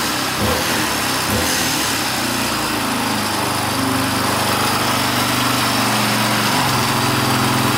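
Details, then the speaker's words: 1982 Honda XL500R single-cylinder, first start in years after sitting; no-start was traced to a loose spark plug sparking outside the plug. Idles steady at about three to four beats a second, even, no misses; sounds healthy. "pretty good wow can't believe it started I was giving up hope there for a little bit"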